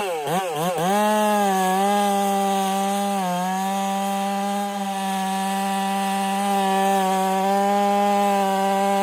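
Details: Ported Husqvarna 385 chainsaw during break-in, tune left slightly rich with a little top-end burble, cutting very hard oak: clean high-pitched scream dips slightly as the chain bites, then holds even; smooth, normal cutting under load.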